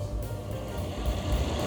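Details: Secondhand electric fan with a faulty switch, live wire jumpered to the switch: steady, even low motor hum with no rattle or catch, running smoothly on speed 2; owner concludes the thermal fuse is blown.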